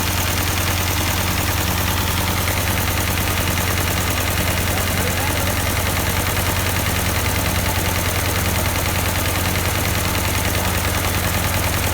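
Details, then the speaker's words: 1952 Ford 8N tractor, partially restored and not run for a few years: lumpy, uneven idle, audibly missing. Owner suspected a bad plug and carburetor; number four cylinder later showed no compression, an oily plug and a stuck exhaust valve. "it seems to be maybe a bad plug there we tried changing it there it seemed to be a little bit better of course it's probably still the carburetor a little bit you can hear it missing"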